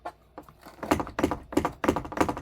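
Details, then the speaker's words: Newmar Dutch Star 4018 motorhome, dash and A-pillar area: quick bursts of hollow, dry plastic clattering about three a second; PEX pipe loose behind the trim rattling. "This thing is just rattling. So that annoys me."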